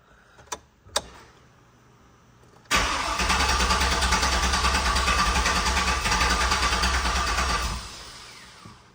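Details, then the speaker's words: Turbo 6.0 L truck on a new 3-bar speed-density tune, first fire: a couple of sharp pops while cranking, then it catches and runs rough about five seconds before dying; the scanner shows it very lean. "It is giving some cranks, so it's giving some little pops there. Okay, we're getting somewhere."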